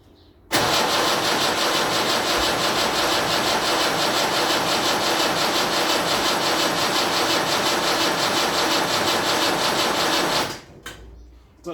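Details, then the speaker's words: Land Rover Series 3 diesel, project vehicle, first-start attempt: steady fast cranking, about three turns a second, no firing pulses; little puffs of exhaust smoke show some diesel getting through, but nowhere near enough fuel. "there are little bits little puffs of smoke coming out the back and there's nowhere near enough diesel getting through there"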